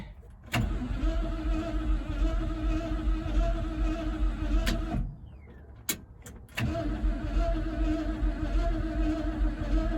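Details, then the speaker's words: 1976 Ford F-150 that sat in a swamp since 2000: starter turns the engine over evenly in two long bursts but it never fires; still no spark, cause unknown. "I will do everything I can to get this truck running. All we really need is spark. I don't know why we're not getting spark."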